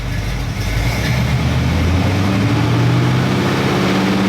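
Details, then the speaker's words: Stock Chevy 350 small block V8 truck after fixing two burnt ignition wires and dirty plug that caused misfire, vibration and hesitation; steady hum climbing evenly from about 1,200 rpm toward 2,000, no stumble: misfire fixed, normal rev sweep. "hold on about 1,200 and as it goes up smooth. Okay, so it looks like I fixed that issue."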